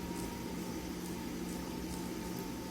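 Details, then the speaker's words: Traxxas UDR rear differential, planetary gears freshly rebuilt and greased, spun slowly by hand: soft, even, slushy whirr of grease moving with no metallic grinding, so the differential runs smoothly. "Right now I actually don't hear the metal grinding. What you want to hear is like a little like I don't know slimy sound. That's the grease just moving around in there."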